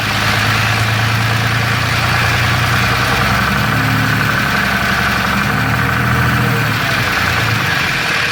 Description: This is a normal but annoying noise some of the triple disc torque converter will produce. This is a Dodge Ram 6.7LCummins Diesel with a DPC triple disc torque converter. This rattling noise (marbles in a can) is believed to be normal with the triple disc design.